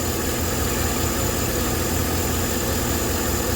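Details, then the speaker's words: 2012 Chevrolet Silverado 5.3L with P0300 random and P0301 cylinder 1 misfire codes: uneven idle with irregular stumbles and dips over a low rumble; misfire traced to oil-fouled spark plugs, engine burning oil. "oh yes it did there it is there it is yeah we got fouled spark plugs she's burning some oil man"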